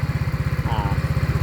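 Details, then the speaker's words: Yamaha Mio scooter with freshly rebuilt engine, started first press: steady even putter about twelve beats a second, no misses or knocks; seller says steady, quiet, no smoke, no whine. Normal idle. "ส่วนเครื่องยนต์ครับผมเครื่องยนต์ก็นิ่งมากครับเงียบเงียบแล้วก็นิ่งครับไม่มีควันครับไม่มีหอน"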